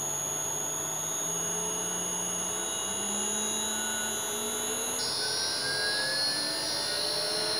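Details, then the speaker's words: Leeson 1800 RPM D80 lathe motor on Teco-Westinghouse L510 1HP VFD, now in sensorless vector mode, started slow; even hum climbing smoothly with speed, mid-range shaking gone, steady high-pitched drive whistle. "enough all that shaking that was in the mid-range it's gone"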